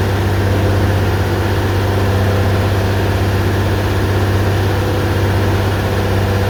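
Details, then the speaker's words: 2001 Mazda 626 2.5L V6 after replacing dead injector: steady even low idle, no misses; bank 1 O2 sensor trace normal, firing on all six cylinders, fixed. "This is how it should look. Exactly how it should look. So, this tells me we're firing on all six cylinders now. So, that fixed that problem."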